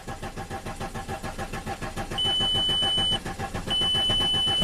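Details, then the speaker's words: 2005 VW Passat TDI diesel, crank no-start after cylinder head and camshaft swap: steady starter cranking about 3.5 beats per second with a chime, never fires while purging air, fuel pressure only up to 15 psi. "There we go. Come on, come on, come on. That's promising. We're up to 15. I'm just gonna keep purging air out until it's happy."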